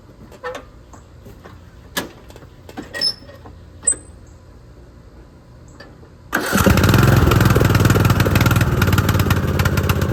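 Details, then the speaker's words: Poulan XT tractor mower single-cylinder engine after a new spark plug: the misfire has stopped, but it runs choppy, popping and backfiring. The new Chinese carburettor's idle screw and fuel mixture screw needed adjustment. "all right y'all so when I put the spark plug in the misfiring stopped but it was still popping and backfiring so I it was a Chinese carburetor so I did have to adjust the idle screw and the fuel miror mixture screw"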